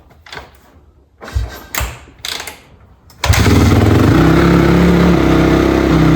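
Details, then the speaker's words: Honda CRF250R after carburetor cleaning and timing correction (timing was the real fault): a few handling clatters, then it fires and settles into a steady, even idle with no misfires; runs healthy. "Nice. It sounds good. Oh yeah, she sounds pretty good. She actually sounds healthy, which is awesome."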